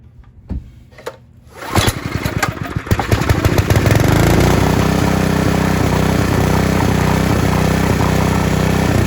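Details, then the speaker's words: Honda G300 single-cylinder engine revived after 2 years outside, warm, after carb clean, new needle, fuel line, plug, oil change and water-filled tank cleaned: a few pulls, catches and settles to a steady even beat with no misses, runs great. "I just shut the fuel off, but it starts, it runs great."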